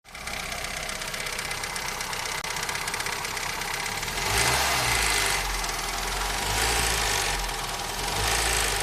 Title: Стук в двигателе 4S-FE